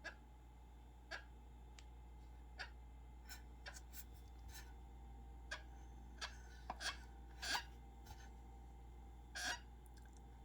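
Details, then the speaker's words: Elite Turbo Roteo indoor bike trainer, about 50 hours of use, getting noisier over the last ten: faint irregular high chirps over low hum at slow speed, a definite dry bearing squeak; owner says it fades at speed, replaced by a louder noise. "definite squeak associated with that bearing which isn't all that big of a deal"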